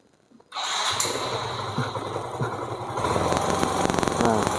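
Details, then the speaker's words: Yamaha Mio M3 scooter that won't hold a steady idle: starts into an uneven, lumpy, very rough idle with revs sometimes rising on their own; rough idle from worn camshaft. "jadi motor ini Tidak bisa langsam beku ya gan suara mesinnya sangat kasar"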